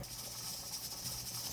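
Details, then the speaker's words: Pressure canner at 10 pounds for 20 minutes with the weight fitted: steady steam hiss and a quick, soft rocking rattle from the weight, heat turned down slightly to the minimum that keeps it rattling; up to pressure and working normally. "right so here's the dancing wait just let him dance like that as long as this moving and rattling back and forth you are up to pressure"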